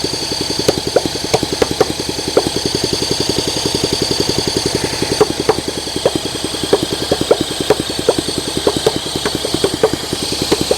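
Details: 1971 Honda SL125, long-stored formerly seized engine, cleaned carburetor, idle and air screw adjusted up, no working throttle cable: uneven popping single-cylinder beat with skips and sharp cracks, stumbling rough running; cause unconfirmed.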